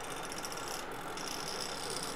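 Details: MSI GP65 Leopard laptop CPU fan before the fix: a steady airy whir with a thin high whine; the rotor moves up and down on its shaft.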